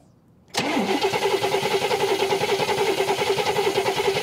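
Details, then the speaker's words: 1969 Cadillac Eldorado with 21,000 original miles, sat about 20 years: even cranking at about three beats a second with the factory mechanical fuel pump, never catching; no fuel delivery, so an electric fuel pump will be fitted while the battery lasts. "okay you know it's not working um let's just go ahead and hook up the electric fuel pump because we only got so many more cranks on this battery"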